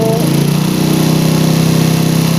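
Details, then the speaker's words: PE28 carburettor with the original needle, air screw closed 1.5 turns to only 1 turn out: uneven revs that sag and stagger at low speed as if about to die, because the idle mixture is now too rich. "Nah, tapi idle jadi mati guys ya. Jadi terlalu basah untuk RPM idlenya."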